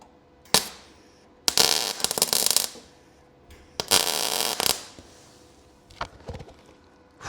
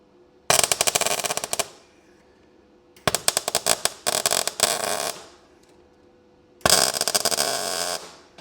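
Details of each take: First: So yeah, you can weld directly, okay, to this metal. Um but honestly, in my opinion, it's a pig. I'm not a fan of it. I don't like it. And I should have not been lazy and taken the paint off, but never mind. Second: Ford Fiesta RS Turbo sill repair, MIG tack welds on ground-back clean metal; three short bursts of steady, even sizzling crackle with quiet gaps. Normal MIG weld crackle.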